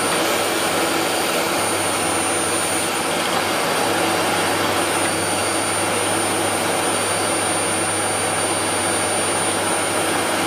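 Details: Dyson DC04 vacuum test run after motor replacement, checking that it turns properly. A steady, even high motor roar with a constant thin whine, no surging, rattling or scraping. The motor runs normally.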